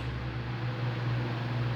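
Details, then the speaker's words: Household fan on 220 V at speeds 1 and 2: steady heavy low hum with coarse buzz and no speed change; excessive noise at low speeds caused by defective run capacitor. "e não [Música] na onda faz o barulho defeito capacitor"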